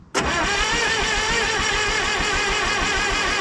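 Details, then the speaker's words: International 125E power-shift track loader diesel, sitting about 10 years and freed from seizure, fires after a quick crank into a strong, even clatter with no misses or knocks; oil still leaking from belly pan. "well fired up real good with a quick crank over"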